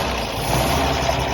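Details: Restored 1929 Chevrolet International truck, six-cylinder, first start in a long time after fresh fluids: short stretch of even, low idle rumble with no knocks or stumbles; normal idle.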